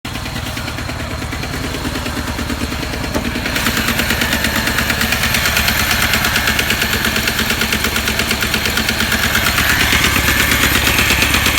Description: 2008 chevy cobalt LT 130xxx leaking a large amount of oil, knocking very loud as you can see on video and car lost a lot of power that made it impossible to drive.